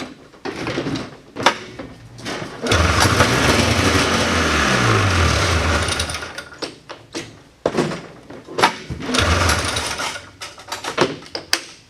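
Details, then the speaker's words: 1979 John Deere Cyclone 340 two-stroke snowmobile, vintage revival, full then half choke: pull-start rasps, engine catches and buzzes briefly then dies; fires only on starting fluid, owner blames dirty carburetor and gunked fuel tank. No fuel delivery to carb. "she fires on starting fluid and that's uh that's something I'm not wanting to sit here and pull my arm off knowing that I have a dirty carburetor and a gunked up fuel tank"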